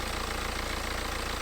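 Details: BMW 318d E90/E91 N47 facelift 2.0 L diesel (also called M47/118 diesel) idling after replacing the leaking, rattling water pump and refilling coolant. Steady idle with an even low rumble and light regular clatter, no knocks or rattles standing out; sounds healthy.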